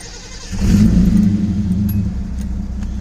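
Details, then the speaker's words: Datsun 280ZX S130, cold at about 100, after work on carbon build-up on the plugs and a fuel treatment: the starter catches in half a second and the engine settles into a steady, even low idle with no misfire, running much better. "smooth like a baby's [ __ ] ass I don't think that sounds right but and she's cold right now she's at uh about 100 it's running much better"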